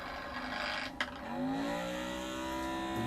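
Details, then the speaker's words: Magnetic stirrer mixing resin at too high a speed: a sharp clatter as the stir bar breaks loose from its center pivot, then a wandering, rising whir with chatter. The bar has decoupled and no longer stirs. "that means that the uh when you hear it fly off like that what it's doing is the magnets actually flying off the uh the center pivot point and it will not stir because it's just hanging there going all over the place"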